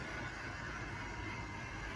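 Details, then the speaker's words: Late-1960s Tri-ang Hornby R.356S Winston Churchill model loco with X04 motor, after maintenance, hauling heavy tinplate coaches on Super 4 track: smooth electric hum with light gear whirr; normal running. "a little bit of gear noise more power this is only going to get better as it runs in after its maintenance"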